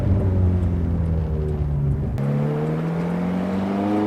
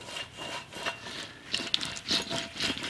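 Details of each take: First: Ferrari F430 on a road drive after replacing the bad rear wheel bearing: engine pulls cleanly with no hum, growl or rumble from the wheels; new bearing perfectly quiet, steering vibration gone. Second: Removed rear wheel bearing from a Ferrari F430, turned by hand: gritty, rasping grind in uneven rough, catchy bursts, chunking around; worn-out wheel bearing, replaced.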